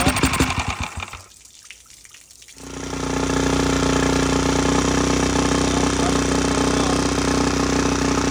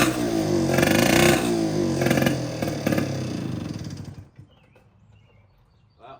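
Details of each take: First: Mercury outboard revived after sitting: after a couple of pulls it settles into a steady, even buzzing run at constant speed, then shuts off. Running normally. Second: 1960s Cal Jet two-stroke outboard that sat for years, run in a water bucket with fresh fuel: it buzzes and revs unevenly for about four seconds, then fades and dies, unable to keep running on its own. Cause not confirmed.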